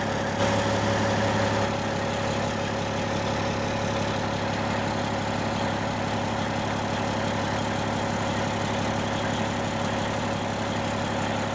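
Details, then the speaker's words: A 1995 Western Star with a Cat 3406E diesel, before replacement of the old crumbling exhaust with holed pipes and a sheared flex pipe, idles steadily with ragged, raspy puffing instead of a smooth low rumble. It is an exhaust leak. "so here's what the truck like sounds like currently with the holes in the exhaust like it's not bad it's louder than without any hold but it's not a you know it's not a smooth low rumble um you can tell it just sounds a little off"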